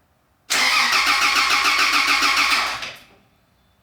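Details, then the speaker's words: 1993 Toyota Land Cruiser 80 with newly rebuilt and installed engine, first cranking to check for binding: even, steady cranking at about 3.5 beats a second, no binding or skipped strokes, sounds in time. "that's a good sign it it sounds good when it's cranking over it sounds like it's in time and everything"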